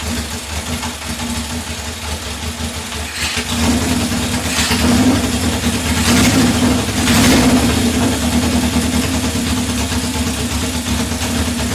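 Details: 1978 Honda CB750 K8 after first start following ignition/starter repair and carb install, temporary fuel supply: four-cylinder settles into steady idle, throttle blips rise and fall cleanly; running normally.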